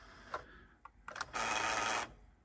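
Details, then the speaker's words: Like-new Nakamichi Dragon cassette deck, rewind torque measured 55 (normal), 40 right/50 left: a few clicks then a short whirring run under a second that cuts out; playback fails, suspected not enough friction. "and here is the sound that's where not enough friction I believe can't play back"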